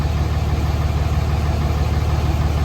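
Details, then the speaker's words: 2006 Dodge Cummins 2500 Mega Cab diesel idling after adding an Edge CTS3 tuner, 100 hp injectors and a fuel injection pressure regulator fix; steady low rumble with even firing, no knocks or misses, no exhaust smoke, about one psi boost; normal idle. "idle idle seems good um yeah idle seems good maybe one psi boost on that one"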